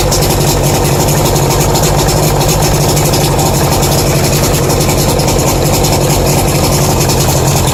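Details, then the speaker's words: 1992 Lund Pro-V tournament boat outboard running rough with a rapid rhythmic knock over the exhaust beat and stumbling; top speed fell from 40 to under 35. Owner unsure whether rod knock or piston slap. "she's running good she's making a knocking sound I'll go better rod knock or what or a piston slap"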